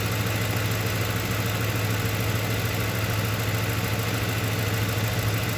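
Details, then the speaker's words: 2008 Ford Crown Victoria, cylinder one coil test showing no power at the coil connector, wiring short or break suspected: rough idle with a steady stumble about three times a second over the hum; misfire, one dead cylinder. "look nothing nothing at all nothing there's no juice coming from this side"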